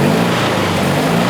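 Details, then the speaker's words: Abarth-modified Fiat 500 two-cylinder racer with emission controls removed, freshly started cold: rough, uneven, lopsided chuffing while running on one cylinder instead of two; cold-start misfire on one cylinder. "it's running on one cylinder instead of two but i think it's gonna clear out in a second"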